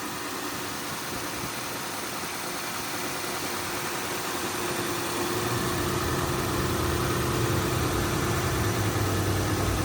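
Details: Toyota/Lexus 1UZ-FE/2UZ-FE V8 after replacing the drive belt tensioner pulley bearing (6203-2RS), air pump now off: a smooth, even idle with a low hum and no bearing whine or belt-side rattle. Normal idle.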